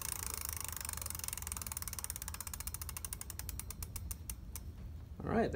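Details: Bafang hub motor on a Radrunner 1 e-bike rattles during a commute when throttled, fast ratcheting clicks slowing as the motor winds down; owner unsure if motor rattle or gears grinding, nothing visible externally.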